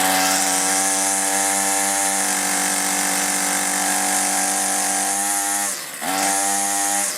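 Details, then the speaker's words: Older 2-stroke string trimmer, unstarted for a week, primer bulb not working well, hard to start: steady high buzz that hunts, dips and nearly dies, then picks back up; poor running from faulty carburetor, aftermarket carburetor ordered as replacement. "I can usually get it going but that's why I went ahead ordered an aftermarket carburetor thought for under 13 bucks let's give it a try"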